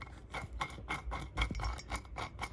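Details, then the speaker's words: Rear wheel bearing of a 2000–2004 Ford Focus SE with drum rear brakes, about 20 years old, spun by hand: dry rasping growl pulsing about four times a second instead of a silent spin; rough, pitted race, likely from water corrosion. "it's not supposed to be like that. It's supposed to be nice and smooth. You're not supposed to hear anything."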